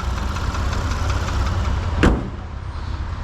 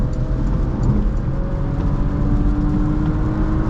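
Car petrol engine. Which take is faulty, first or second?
first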